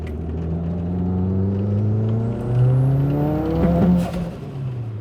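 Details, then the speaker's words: 1995 Mitsubishi Eclipse GSX AWD with new green turbo and repaired wastegate flapper, boost settings from before: pulls hard with rising turbo whir, then sharp pops near the top as it overboosts; boost controller turned off. "all right, started popping on me there. It overboosted for sure."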